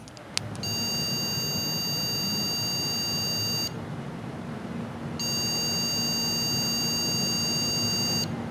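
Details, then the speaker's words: MSI PRO H610M DDR4 (Intel 12th gen) motherboard with both DDR4 8GB memory sticks removed: three long beeps of about three seconds each right at power-on, not repeating, signalling no memory detected. "네, 전원 넣자마자 비품이 길게 3번 났습니다. 또 반복될 수도 있으니까 계속 한번 틀어놔 볼게요."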